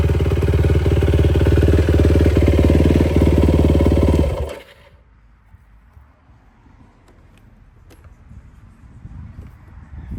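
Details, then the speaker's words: 2004 Yamaha YFZ450 single after carburetor cleaning (clogged pilot jet) and new ignition, idling smooth and even, then shutting off cleanly; the radiator fan kicked on, so it is not overheating and the cooling system works. "So, she does run pretty good. You can hear the fan kicked on. It's a good sign."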